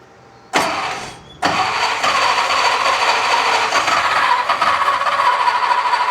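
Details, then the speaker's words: Mercedes Unimog 404 project, first start attempt after purchase: engine cranks briefly, catches after about a second, then settles into a rough uneven idle with a stumbling beat; running but clearly misfiring. "Hey! It's misfiring, but that is a running Unimog, ladies and gentlemen."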